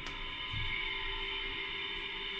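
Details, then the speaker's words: LG Multi V 4 concealed-duct indoor unit, no airflow, fan blades fully packed with dirt: steady high whirring drone from the fan, attributed to worn fan motor bearings. "you hear that sound that's the bearings"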